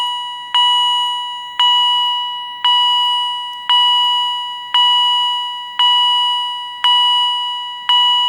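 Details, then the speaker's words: Second Edwards EST 757-5A-CS Integrity chime strobe, mounting bracket left on; clear high chime about once a second, evenly spaced, clean ring-down, no rasp; higher pitched and healthier than the other unit; normal. "So, in addition to testing this second Edwards Integrity Chime Strobe, it has a little bit of a higher pitch."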